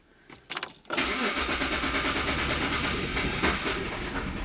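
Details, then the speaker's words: 2004 Hyundai Sonata 2.7 L with code P0335 and power loss: the engine dies on its own and the traction control light comes on, then a few cranking bursts until it catches and settles to idle; intermittent stalling from a crankshaft position sensor fault. "no checkings are like well the vehicle just died so right there it just died on its own"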